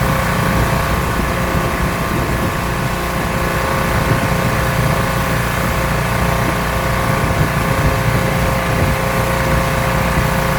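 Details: Rebuilt pressure washer small engine with a known leaking manifold, cleaning a car wheel: steady, even drone holding speed under full water load, no misses or knocks; runs really well, normal running under load.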